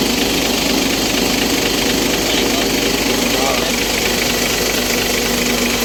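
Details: Isuzu truck, 6WF1 CRDi diesel, with a hard-starting complaint; once running, it idles loud and steady with an even clatter around two beats a second and no stumbling.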